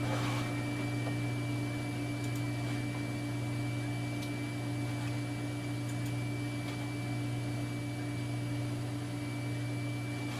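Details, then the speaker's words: Digital picture frame computer, power supply fan after an hour running, acclimated to the house: steady low hum with faint even whir, no rattle or ticking; earlier fan noise gone, normal. "In the meantime, while we're waiting for it to finish booting, the noise that the fan was making seems to have gone away. This has been running for an hour now."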